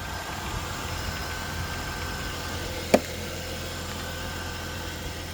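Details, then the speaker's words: Holden VY Commodore engine started after sitting a few weeks. It idles with a steady, low, even hum and no misses or knocks, apart from one brief click, and sounds good. "She sounds good."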